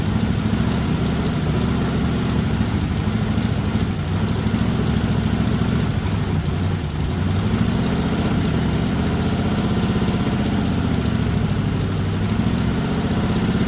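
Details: 1961 Mercury Meteor with 37,000 miles, first start after 43 years parked, with a locked water pump and a belt stuck in the pulleys: uneven, lumpy, loping idle with chuffing throughout. It runs rough and blows oil from the open fuel-pump hole.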